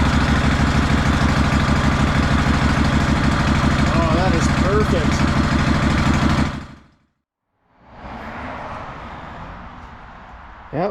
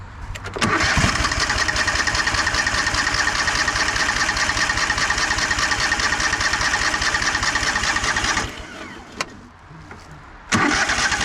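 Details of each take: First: 2004 Craftsman DLT3000 lawn tractor single-cylinder engine idles with a steady, even thump after carburetor cleaning, fresh gas and new fuel lines replaced rotted ones; normal idle, then sound drops away. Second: 2004 Craftsman DLT3000 lawn tractor after carburetor cleaning, old fuel pump refitted, on choke: long steady cranking for about eight seconds with only faint catches, then another try; fires briefly but won't start.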